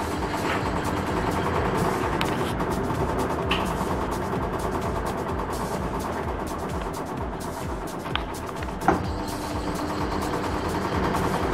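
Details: Samsung washing machine spinning after the weak motor-to-gearbox belt is re-tensioned by sliding the motor back: steady, even hum with no squeal, a smooth normal spin, under background music.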